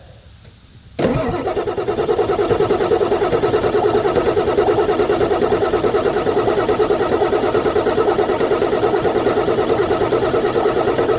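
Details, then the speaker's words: 1996 Ford F-250 7.3 Powerstroke diesel, died while driving: ten seconds steady cranking about three beats per second, never catches; fuel lift pump pulling air through a suspected crack in line or tank. "when I try to pull fuel ball I gets air so there's obviously a crack in the line or in the tank somewhere it's pulling air"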